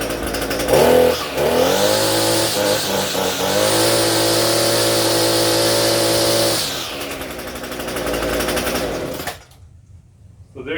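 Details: Old Echo SRM-230 string trimmer, idle for years, after carburetor replacement: small two-stroke buzzes up to a high, steady rev, holds even, then drops back and shuts off; sounds healthy, revs freely, normal running.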